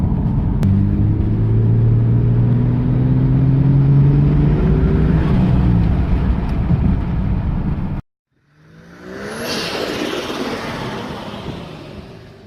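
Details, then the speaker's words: Ford ED Falcon turbo build after fitting a new J-pipe/up-pipe and fixing the fuel pump issue: deep, even exhaust note climbs cleanly through the rev and falls away with no rattles or leaks; sounds healthy. "oh that is so much better it sounds like a real car"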